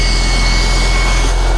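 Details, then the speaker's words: Porsche 996 911 Cabriolet started just after an alternator replacement (charging just under 14 V), out of gas and with no coolant, run only seconds: steady whirr with thin high whine over low rumble, the secondary air pump (called injection pump) running after cold start, normal. "There we go. I forgot all about that injection pump running right there."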